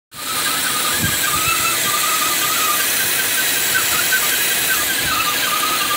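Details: 2012 Cadillac CTS4 3.6 V6, once warm, loud steady high-pitched squeal resembling a front cam bearing; actually the PCV system, whose opening someone enlarged following oil-consumption advice.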